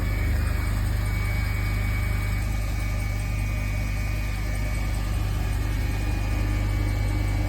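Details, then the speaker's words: 2005 BMW Z4 at idle with new tires; thin steady high-pitched whine over a smooth idle, cause unknown, owner says it stops after about 20 to 30 seconds. "I don't know what that is, but it'll go off in probably like 20 to 30 seconds."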